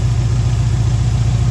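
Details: 2011 WRX after a JDM engine swap with fresh oil and filter: a smooth, even boxer idle after its first-turn start, with no misses, knocks or ticks. No codes or check engine light.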